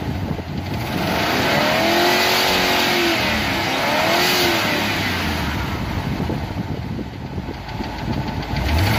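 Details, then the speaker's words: V8 pulling uphill after spark plug replacement (old plugs cracked, corroded, one with no gap; was running on about 6 of 8 cylinders): even drone under heavy wind and road noise, no misfire or stumble; runs smoothly. "You can hear the motor is running beautifully. I just put in new spark plugs. You can hear she's running beautifully. She just goes up that hill."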